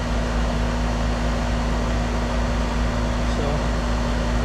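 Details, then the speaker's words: Older R22 AC condenser after replacing blown fuses, 241–243 V supply: steady low compressor hum with the fan whooshing over it, even and settled; running normally with good pressures and amp draw. "All right, the unit is running. There's my pressures here."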